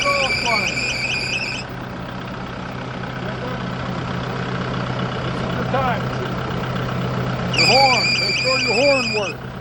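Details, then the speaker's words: Kubota broom tractor diesel idling during a pre-trip inspection: a high, warbling belt or pulley squeal comes and goes over the steady idle; the pulley that keeps stopping is the bad one, noted for repair. "You can hear now that it's going, it's got a belt or a pulley squealing. So, you can put that on clue."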